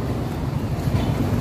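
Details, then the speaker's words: Hyundai Accent 1.4 gasoline engine at idle from the exhaust: uneven, lumpy low thrum with beats dropping out, strong vibration and blinking check engine light, codes P0300/P0301/P0302; misfire, as if a cylinder isn't firing. "Ayan kung maririnig ka na tambutso sobrang ano ah hindi siya hindi maganda yung sabog parang ah may kulang na piston na pumuputok at hindi naririnig niyo yan."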